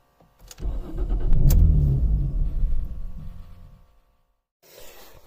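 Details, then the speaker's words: Jaguar X-Type no-start: about three seconds of steady cranking at roughly three turns a second, then it stops without firing. Owner could not feel the fuel pump kick in and suspects a fuel pump fault. Cranks but won't start. "so you can't feel pumped kick in but then it doesn't fire"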